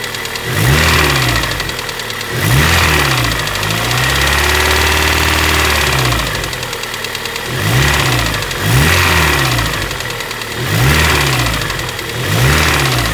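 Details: Honda Prelude engine revving: a light, quick uneven tapping that rises with speed and sounds like top-end noise, but is piston slap from a broken piston skirt leaving the wrist pin unsupported on one side.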